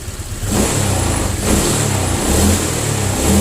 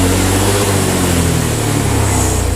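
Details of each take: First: Honda Vario 125 injection scooter after the throttle-delay fix: quick throttle blips about once a second, revs rising and falling promptly with no lag or stumble; pull is more responsive with no delay, normal throttle response. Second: Honda Vario 125 injection scooter, normal idle but slight throttle delay: the note holds and then sags instead of climbing as the throttle opens gently, with revs dropping around 20 km/h; hesitation blamed on throttle being too light.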